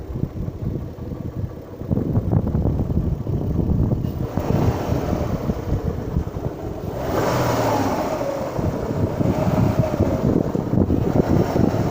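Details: Kia Magentis 2.5 warmed to 80 °C after a −25 °C cold start, revved up and down: knocking thump on the exhaust note grows louder with revs; owner thinks it isn't a connecting rod.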